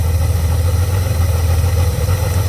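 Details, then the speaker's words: Honda Goldwing GL1500 flat-six after finding a suspected vacuum leak at holes on a vacuum line; air breather removed. Deep, steady, even idle hum with no misses or hiss, the best it has run. "actually running really good that's the best i've heard this bike run and that's without the air breather"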